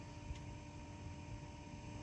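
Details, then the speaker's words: 2011 Toyota Sienna HVAC blower right after fitting a new budget replacement motor (original squealed, suspected bearing, lasted about 100,000 miles): steady hum with a constant higher-pitched motor whine, worse at max speed; new motor doesn't sound right and will probably be returned. "it's kind of annoying it's like this higher pitch motor sound let's turn on the way to max that doesn't sound right"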